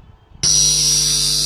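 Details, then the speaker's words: Soundbest Flash 4 power mixer with no sound output, signal cable connected to a channel: loud steady hiss with low buzz underneath from the speaker; hum disappears when the signal cable is unplugged. "Ada suara noise mengganggu Ya seperti suara ng gitu ya enggak hilang-hilang dan suaranya hilang teman-tema"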